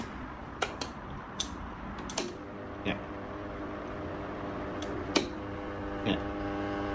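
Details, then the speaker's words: 16-inch wall fan after running a while: irregular sharp ticks and clacks over the low motor hum, stopping when the plastic motor cover is held; the cover vibrates and rattles against the housing. "มีเสียงเปิดไปสักพักครับจะมีเสียงลักษณะนี้อัน"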